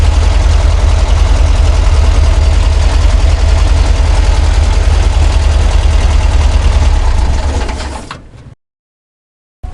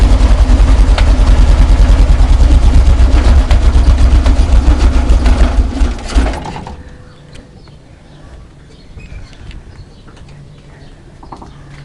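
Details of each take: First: VW Kombi engine after mechanic's repair of a knocking noise heard at first start: even, steady low idle with no knock or tap, then a clean shutdown; noise gone, normal idle. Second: VW Kombi engine on first start of the day: rough idle with a regular knock about 2.5 per second, sounding like something loose, fading once the engine stabilizes; owners fear seized engine.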